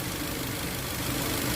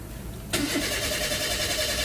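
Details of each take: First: Toyota Avanza 1.5 G that had a crank-no-start fault with codes P1604 startability malfunction and U0167: short stretch of even petrol idle with a steady low hum and no knocks, misses or rattles; normal idle. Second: Toyota Avanza 1.5 G with codes P1604 (startability malfunction) and U0167: steady fast starter churning for nearly three seconds with no catch; cranks but won't start.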